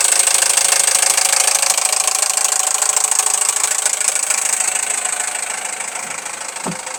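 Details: Toyota 1AZ-FSE engine at idle: a sharp, very regular tapping of about three per second over a bright idle that eases slightly, identified as piston slap, to be repaired.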